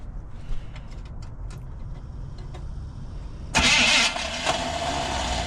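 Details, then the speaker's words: 1980 Chevy 4x4 squarebody after Quadrajet rebuild: low cranking rumble, sudden rush as it catches, then starter keeps whirring instead of disengaging; told to wait until the starter stops spinning. "Wait till that starter stops spinning and try it again."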